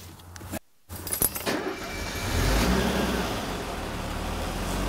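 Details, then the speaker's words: 1980 Mercedes W126 280SE Euro (M110 engine), outside on a chilly day, heard at the exhaust after temporary exhaust-leak repair: key rattle, cranks and fires, then low, even, quiet exhaust note with no puffing or burbling; runs sweet, owner suspects warm-up regulator issue. "I'll get back here by the exhaust I said sounds also look at how well the engines running"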